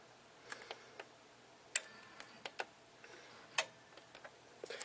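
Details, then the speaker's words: Subwoofer mounted on house ductwork: sharp, irregular clicks about every two seconds with no steady hum, heard as relays clicking; suspected the system can't handle it, not confirmed. "hear the relays clicking in there yeah"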